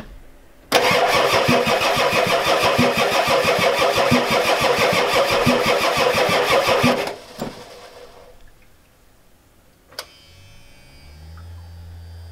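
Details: Ford F-250 XLT 7.3L IDI diesel, new injectors, mechanical lift pump bypassed with a hose, glow plugs cycled, ether tried: steady cranking about three compressions a second for six seconds, never catches; crank no start, injection pump suspected too weak.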